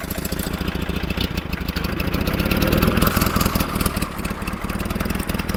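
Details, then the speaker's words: 1947 Farmall Cub tractor engine idling to warm up, after adding water and gas: uneven, stumbling idle that sputters and catches irregularly with random skipped beats; the valve on the right side beside the intake manifold is stuck. "I'm just going to let it sit here and idle and it's going to sputter and catch and do its thing. So, I just want to let it run and warm it up and hopefully those valves will uh start working properly."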